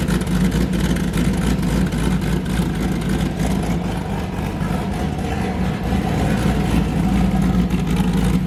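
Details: Boosted car "James Brown" with a new cam, after 23 psi blew a coupler off, freshly started before warm-up: loud, deep V8 idle with a hard, lumpy lope, firing evenly on all cylinders. Normal choppy cam idle, sounding good.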